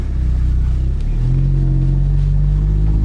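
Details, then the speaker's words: Audi 8V S3 driving with the sunroof closed after the two-screw fix: only engine pull and low road rumble, no ticking or buzzing overhead. No sunroof rattle; previously it rattled when closed. "So far so good. It would have rattled already."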